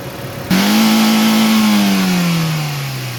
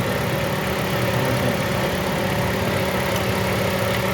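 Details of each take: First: Toyota Corolla after ignition coil replacement: a single clean rev blip climbs smoothly and settles back without stumbling or popping; engine revs freely, no misfire after repair. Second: Toyota Corolla that died on the road from a wiring short, now restarted and checked for misfire; steady idle hum with slightly uneven, stumbling beat as one cylinder misses from a failing ignition coil.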